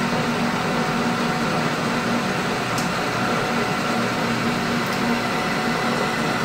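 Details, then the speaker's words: Lathe turning the barrel of a machinist jack (5/8-24 extra-fine thread) at about a 100-thousandths cut: a steady, even cutting hiss and low hum. Adding a support stopped the earlier chatter, and the cut now runs smooth and chatter-free. "yeah that support really helps a lot because it was chattering before now the chatter is stopped"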